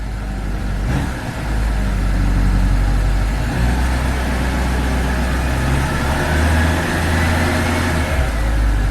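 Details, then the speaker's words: Turbocharged car just after a turbo speed sensor replacement (actuator removed to fit it), no check engine lights: a small late-night rev test with a faint whistle rising smoothly; boost came in fine, a normal spool, though boost was later lost. "sounds fine PSI came in seemed smooth"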